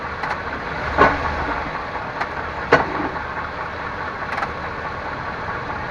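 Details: 1998 Chevrolet Suburban K1500, 5.7L, 4L60E automatic, 177k miles, in 2WD: sharp single thuds at idle each time the lever goes from park into drive and back. Shift clunk of unknown cause.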